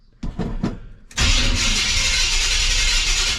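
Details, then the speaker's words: Chevrolet C10 with 454 big block V8, replacement starter with all shims removed, truck on jack stands: a few quick bumps then a steady, even spin with no clank or grind; normal starter cranking. "Wow, sounds perfect. Wow, sounds like ain't nothing wrong with it. I mean, that's just how the starter sounds."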